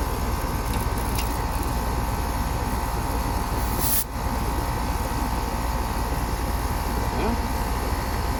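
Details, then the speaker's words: Outdoor AC unit running constantly at 61°F outside, with high head pressure and hot discharge, suspected fan motor problem: steady compressor and fan roar with a faint irregular rattle underneath; source of the rattle unclear. "I see that rattling. I don't know what that rattling is."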